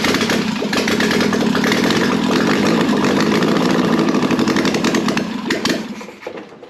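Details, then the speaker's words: Air-cooled 1600cc VW Beetle engine (candidate for a 1974 VW bus), long-stored in a hot garage, revved from the carburettor: it catches and revs roughly for about five seconds, then sags and dies; fuel starvation, running only on the accelerator pump. "yeah so we're definitely only running off of our accelerator pump which for some reason works"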